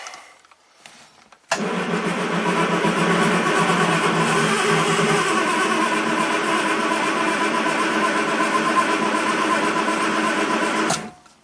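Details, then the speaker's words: 1967 Triumph GT6 parked since 1999, twin Stromberg carbs fed fresh ethanol-free gas, spark and some compression present, choke on: starter cranks evenly about nine seconds without firing; cranks but no start, starting fluid next. "Okay. Almost promising. Maybe a little starting fluid."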